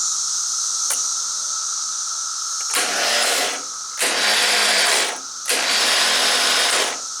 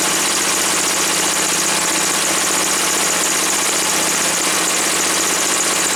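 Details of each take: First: Woods 6180 zero-turn mower, 18 hp Briggs & Stratton Vanguard, throttle on slow, old battery on charger: short bursts of high free-spinning starter whir with no cranking; the starter spins but does not engage the flywheel. Owner suspects a weak battery and was told the starter is going bad. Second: Woods 6180 zero-turn mower, 18 hp Briggs & Stratton Vanguard V-twin, after carb cleaning: smooth, even idle with a light, steady patter and no hunting once the air filter top was removed; owner suspects a plugged, oil-saturated filter.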